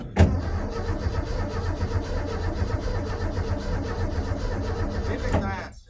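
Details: Hot-wired 1984 Ford F-150 long left sitting, start attempt, clutch in: starter churns steadily about five seconds without firing, then stops. Cranks but won't start; cause not confirmed.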